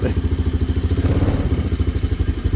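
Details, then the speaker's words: 2002 Polaris Sportsman 500 H.O. single-cylinder four-stroke, about 500 engine hours, cold start on choke after sitting a week: quick, even thumping, steady beat with no knocks or misses; bit panicky cold but idles healthy. "she runs like really good though got to say sounds like she wants to I don't know why no she's good now bit panicky on a cold day but I mean every old four stroke is like that"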